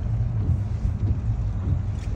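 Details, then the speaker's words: 2008 Lexus GS350 after fixing brake squeal by bending the backing plate away from the rotor: only low road and tyre rumble while rolling to a stop, no squeal or scraping; brakes quiet. "Nope, quiet as a mouse."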